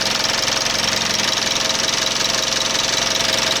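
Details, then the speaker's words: 2012 Mitsubishi Outlander 2.2 DI-D diesel with intermittent EGR code P2413 at idle: light, fast, somewhat uneven ticking knock over hissy top end; valve clearances adjusted and normal, noise comes and goes, source unclear. "що це за звук такий цікавий клапана я регулював клапана нормальні зазор нормальний"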